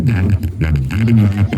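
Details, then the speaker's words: Subwoofer amplifier with one side faulty, a replaced RCA input and one channel switched to the red input: bass playback carries a rough, cracked buzz on each note. "Nilipat ko siya dito oh. tunog niya basag"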